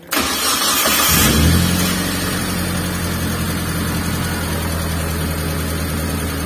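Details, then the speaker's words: T120SS engine after thermostat refitted and coolant refilled: cranks and catches, flares briefly, then quickly settles to a smooth normal idle of about 600 rpm with no hunting. "Untuk RPM-nya tidak lama setelah menghidupkan mesin, untuk jarumnya itu langsung turun ya ke angka kurang lebih 600 RPM, menandakan untuk stasionernya sudah normal ya."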